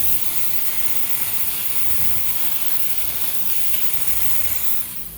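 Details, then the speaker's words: Kitchen AC unit, 7.5-ton, first-stage circuit under leak check: steady loud hiss at the condenser section, no mechanical rhythm; big refrigerant leak in the condenser section. "walked over to the condenser section and I could hear it there's a big one in here somewhere"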